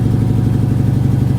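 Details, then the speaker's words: Lifted 2008 Mercedes-Benz GL450 with about 54,000 miles, check engine light flashing: uneven, lumpy idle with a loping beat in the low rumble; a misfire is suspected but not confirmed. "check engine light is flashing is it misfiring it doesn't feel like a misfire to Me Maybe yeah if you listen to it yeah I guess it is"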